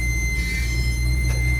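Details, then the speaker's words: Vehicle with 29,000 miles: a loud, steady high-pitched squeal over the running engine, awful-sounding; the owner suspects a vacuum leak and plans to pull codes and check fuel trims. "it sounds so awful I haven't had one that sounded like this yet"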